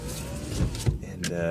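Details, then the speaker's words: 2002 Nissan Xterra power window: motor whines, then scrapes and catches unevenly as the glass moves. Grinding caused by a rock stuck in the window. "by the way it's not the window's not supped to make that sound but there's a rock in it I need to get it out"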